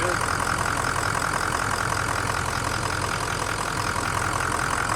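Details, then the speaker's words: 2003 6.0 Powerstroke diesel after fuel injector job, first start in cold weather, little smoke: steady, even idle clatter warming up with no knocks, misses or surging; sounds good, normal idle. "So right now I'm just listening. Let it warm up and listen. It honestly sounds good."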